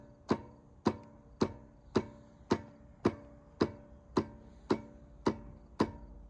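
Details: Stiga Combi electric-start mower makes sharp solenoid clicks, about two a second, but the engine won't crank; owner suspects the battery, starter motor or starter-to-engine gear mechanism.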